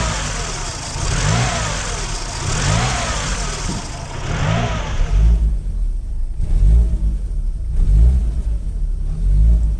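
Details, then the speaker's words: Idle revs surge and drop every second or so without settling after the idle air control valve is disconnected; hunting idle typical of a faulty idle air control valve. "o que las revoluciones estén como locas que suban y bajen sin cesar como sucedió en este otro vehículo que tiene una válvula Jack distinta y al momento de desconectarla funcionó de esta manera"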